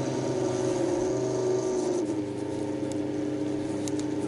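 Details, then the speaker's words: Chinese non-serviceable room cooler fan that spun slowly and wouldn't speed up after about six weeks unused, after oiling its ball bearing: steady even whir and hum, no scraping; running normally, owner unsure how long it will last. "подшипник все заработал еще маленько смажем вентилятор реанимировал будем считать знаю правда надолго или нет потому что"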